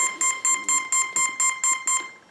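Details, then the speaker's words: ZOHD Dart Sweepforward wing (PNP) on Taranis setup, battery just plugged in, prop removed: ESC gives eight quick even high beeps, warning that throttle was above zero; channels set correctly. "It was beeping funny because I had my throttle up above 0. But I got the channels all set correctly."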